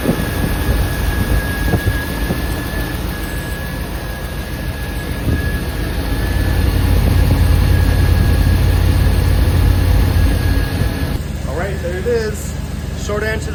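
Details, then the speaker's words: 1993 GMC C1500 TBI 350 at idle after fixing belt squeak caused by a tensioner pulley that wasn't flat and didn't spin true: steady even idle, no chirp or screech; normal serpentine belt drive. "but for now I solved the squeaking problem and it was The Idler the the tensioner pulley but not because the bear in itself but because the pulley itself is not"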